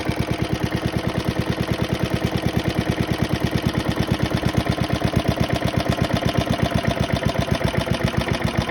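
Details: Very worn 1972 Hayterette mower, hundreds of hours last year, cold start after six-seven months stored on old fuel topped with fresh: crisp, regular firing about eight beats a second, no stumbles; hard to start but runs strong once going.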